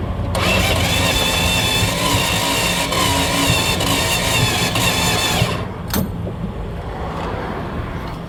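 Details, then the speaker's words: Dodge 318 V8 car that died on the road, spark and fuel present, owner hoped it was vapor lock and fitted a new ignition coil; cranking gives rough uneven chuffing, about four puffs a second, then quits, with exhaust popping back through the carburetor. "I think we have something a little bit more catastrophic going on I don't know if you can hear that or not but I think we've got exhaust blowing up out of the carburetor it ain't looking good"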